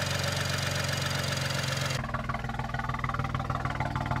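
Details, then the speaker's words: BMW 335i with misfire codes for cylinders 4, 5 and 6: a lumpy, uneven idle with a loping pulse as the engine runs on three cylinders; owner suspects a damaged MSD80 DME (MOSFET failure, 30BB code). Misfire on three cylinders. "now if you couldn't tell right there the car is running on three cylinders it's got misfire codes for four five and six and I think that it's because the DME is damaged"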